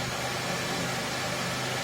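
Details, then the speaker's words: 1997 Pontiac Grand Prix GTP, supercharged 3.8L L67 V6, idling after water pump replacement: steady even idle, smooth low hum, no knocks, ticks, squeals or leaks; engine healthy. "But yeah, she runs, sounds good."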